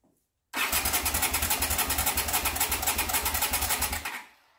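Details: 1979 Honda CX500 Custom, not run in two years, with the carbs needing replacement and the tank just sat on with a fuel line plugged in: the starter spins it at three to four compressions a second for 3.5 seconds, never catching. Cranks but won't start.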